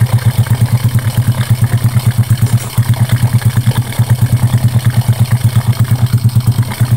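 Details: Honda Karisma single after repair for white exhaust smoke and rough piston noise (piston replacement, valve setting): low, steady thump at about three beats a second with no ticking or clatter from the top end; smooth, healthy idle.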